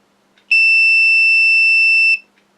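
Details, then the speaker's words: Multimeter continuity test on a quad's new flight control board after unsoldering one ESC's power leads: steady beep about a second and a half, short still present, so that ESC is ruled out. "so somewhere else there's still a shot going across so I would say it's not that ESC"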